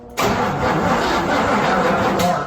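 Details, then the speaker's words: Non-running squarebody GMC truck, cranked during a spark check: several seconds of rough cranking with a brief stumble as if catching, but it never settles into a run; a crank-no-start, cause unconfirmed. "we not SP yeah it sound like it tried to actually start didn't it sound like that to you"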